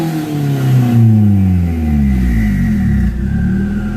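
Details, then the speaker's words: Turbo engine that burns oil, with some oil coming from the turbo and slight smoke, but no oil leaks. Revved from inside the car with a boost gauge. A faint whistle climbs with revs then falls smoothly; normal, healthy turbo spool. "so I'm going to give you guys some revs though all right so let's get in the car real quick hear that turbo spool"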